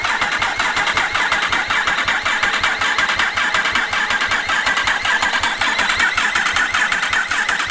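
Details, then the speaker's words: Freshly rebuilt Yamaha R1 race bike, engine just refitted, in neutral: even rhythmic starter whir and compression pulses with no firing, dry cranking to fill oil filter and front oil cooler before first start. "Make sure start motor's not getting too hot. So it's got to fill the oil cooler first."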